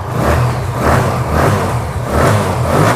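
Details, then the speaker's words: TVS Apache RTR after a pickup and winter starting fix, tank not yet fitted: quick repeated throttle blips, about two a second, revs rising and falling cleanly with no stumble or hesitation; pickup now good. "কিন্তু disturb করে না দেখো pickup সুন্দর দিচ্ছে"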